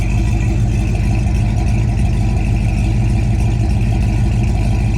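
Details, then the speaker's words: 1969 Plymouth Road Runner parked for 25 years, first start and first move in years: loud, deep, steady V8 rumble with an even beat and no knocks or misses; normal idle. "Beautiful thing to see this thing fire up. Man, she sounds good. I don't know if you can hear that deep rumble."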